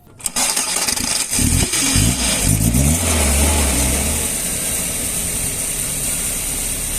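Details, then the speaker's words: Car with three-pin engine sensor reconnected after it had shut off and would not start: short crank, quick catch, then a steady even idle with no misfire; normal start and idle. "al conectar nuevamente el sensor el auto funciona"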